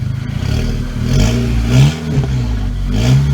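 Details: VW GTI with forged internal build, first start with new downpipe: deep steady low rumble with a brief rev blip, slight crackle, idling steady at 750 rpm, no knocking or ticking; normal idle.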